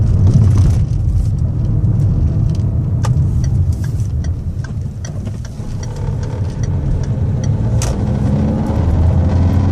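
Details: Citroen C4 Grand Picasso while driving: scattered dull knocks over low road rumble, uneven and following the bumps, from the front driver's side (left) suspension corner.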